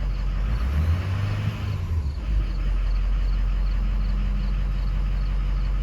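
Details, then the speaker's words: Ford 6.0 Powerstroke diesel after replacing cracked number 4 injector tip: deep rumble wavers and flutters briefly then settles even, still smoky; worries about oil in charge air cooler, avoids revving; rough running, cause unclear. "I don't know. I don't know what that was. Because now it went away. Ugh. Smoky, that's for sure."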